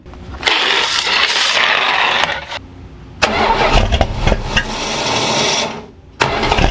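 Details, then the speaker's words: Plymouth Volare Mopar engine running rough after removing a likely original part that was causing a bad smell; catches, stumbles and surges unevenly; smells of gas, owner suspects running rich, timing and carb adjustment still to do. "Well, it's still not running very smooth. That's all stuff I can figure out when I do the timing, maybe adjust the carb a little bit, but it doesn't smell near as bad."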